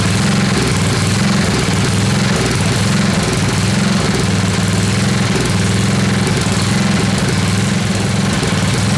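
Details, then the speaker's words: Old Craftsman 10hp Tecumseh riding mower, rebuilt water-damaged engine, not yet warm, choke partly on, rpm raised, fuel spritzed in: loud uneven chuffing that never settles, runs on its own but rough; owner suspects insufficient fuel supply. "that ran on its own fellas"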